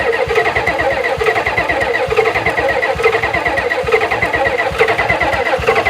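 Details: 1991 Ford F350 dually, 7.3 IDI diesel, not run since 2010: long rapid cranking with uneven chuffs that never settle into a run; owner unsure of fuel pressure and suspects fuel delivery, considering a new fuel pump; starter smoking.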